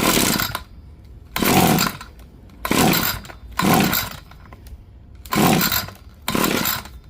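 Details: Echo SRM-2620 X-Line curb-find two-stroke trimmer, tried on and off choke with throttle: six short bursts of buzzing running about a second each, dying back to near silence; engine fires but won't keep running.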